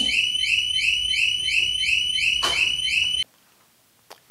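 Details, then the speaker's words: 2021 Harley-Davidson Road Glide Special with a newly installed HD Smart Siren II (68328-06A), armed with the fob away: a loud, high warbling siren at about three sweeps a second, then an abrupt cutoff. The alarm triggers correctly. "we're gonna turn this on real quick and see if the siren goes off oh it works"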